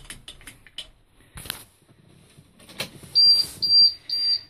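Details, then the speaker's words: International 4900 with DT466, after replacing a failed air pressure sensor on the Bendix compressor: quiet cab at startup, then a sharp beep about twice a second. Low air pressure warning, which clears at about 70 psi. "all right so there's the annoying light and beeping sound that I got to listen to uh for two hours on the way home that evening um because that sensor went bad"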